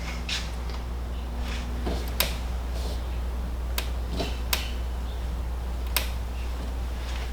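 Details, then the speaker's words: 2021 Jeep Wrangler JL Rubicon 392 with factory Mopar tailgate reinforcement kit: sharp single pops about every second as the gate moves, despite all bolts tightened; owner suspects misaligned hinge bolts, to be removed and refitted. "so what I'm going to do now is actually take off these bolts because this is where it sounds like the issue is coming from it so maybe these things are just misaligned at this point"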